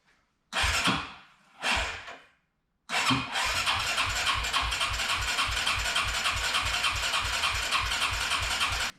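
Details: Arctic Cat 300 ATV sitting 15 years, with rebuilt carburetor, cleaned tank, new battery and voltage regulator, oil change and tune-up, fuel valve switched to reserve. The starter chugs steadily at three to four beats a second with no catch: cranks but won't fire. Fuel later came out the exhaust.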